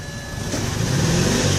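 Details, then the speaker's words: 2007 BMW E90 with rough, coarse throttle revved from idle; uneven, lumpy note as it climbs. Scan shows random misfire, cylinders 4 and 1 misfiring, O2 sensor slow response bank 1 sensor 2 pending. "It says here, random misfiring detected. Cylinder 4 detected. Cylinder 1 misfiring detected."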